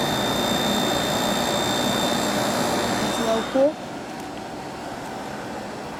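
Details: Samsung 5,000 BTU window air conditioner, rotary compressor, R-22, repaired corroded capacitor wire, on high cool: steady airy fan rush, faint high whine, a click, settling to a quieter even hum; running smoothly, blowing cold.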